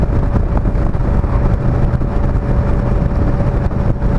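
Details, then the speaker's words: An '83 Yamaha XVZ12TK Venture 1200cc V4 is ridden on a cold, foggy morning at around 3500 rpm. A thin, steady howl rides above the engine and wind: the cold speedometer drive, not the motor, which was lubed before. "the damn Speedo in this thing hows when it's cold I don't know if you can hear it that howling is not the motor"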